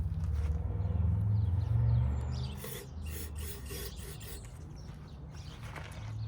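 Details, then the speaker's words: Predator 3500 generator, crank no start, sprayed with carb cleaner: fires and runs rough about two seconds then dies; fuel delivery issue, no fuel reaching the fuel bowl, fuel shut-off control being checked; fuel starvation from blocked fuel line. "all right so as you can tell there's a fuel delivery issue so I'm we'll take a look and see what's going on with the fuel management system"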